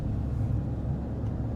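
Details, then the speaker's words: 2007-2014 GMC Yukon, 137,000 miles, driving and turning left to load the suspension: steady low droning hum that gets louder, from a worn front wheel bearing. "So if you guys can hear that, I'm making a left, noise gets louder."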